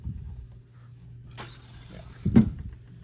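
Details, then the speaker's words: 1966 Ford Mustang starter, Ford part 3131, on a bench tester: a sharp click, about a second of hissing buzz, then another click as it trips the tester relay. A GM starter tested fine, so the starter is suspected faulty. "If it's popping the [ __ ] It's popping the relay in the thing, you can hear it."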